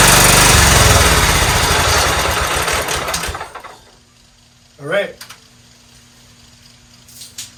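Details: 1994 Cub Cadet HDS2135 riding mower, unused about 10 years, run after adding oil and before an oil change: small single-cylinder engine chugs at a steady fast beat for a few seconds, then shuts off; runs evenly and sounds healthy.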